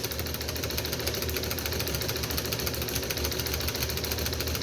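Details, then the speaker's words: Overhauled Wico XH magneto from a John Deere two-cylinder tractor, run on a tester: fast steady snapping about three per second with crisp impulse-coupling clicks, firing a regular spark; normal magneto spark and impulse clicking. "uh you'll feel that you'll you'll hear the impulse clicking uh but hopefully we should see a nice blue spark right there and right there"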